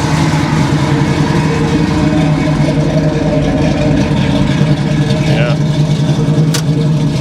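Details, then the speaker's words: 1971 Chevy Nova big block Chevrolet V8, first run in years, warming to temperature at raised idle around 1,000 rpm: deep even rumble, steady beat, no knocks or misses; normal idle, starter noted as making some noise. "I got it running a little higher idle, like 1,000 or something like that RPM, but it seems to be going okay."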